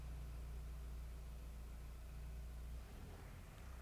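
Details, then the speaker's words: Mahindra Roxor turbo diesel started, heard from inside the cab, after a Dirt Legal intake retaining bracket was fitted against boost leaks: a deep, steady rumble that settles smoothly with no hiss or odd knocks. Normal engine start. "And this is a perspective from inside, starting up the Roxor."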